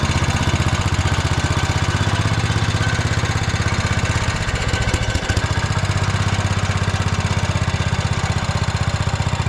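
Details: Old Cub Cadet 106 garden tractor, rescued from scrap after years sitting, belt-wound pull start and run on choke: steady low thumping of about four beats a second, no misses or knocks, running normally.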